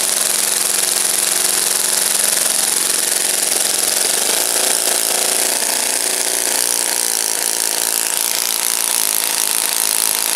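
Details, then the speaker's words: Saito FA-56 four-stroke glow engine, first run after cleaning and bearing replacement, 12x6 prop, OS F plug, 5% fuel: high steady buzz with small rev rise, no knocks; normal running. "It's a looks like a relatively moderate time engine. As you can see, it runs like a champ."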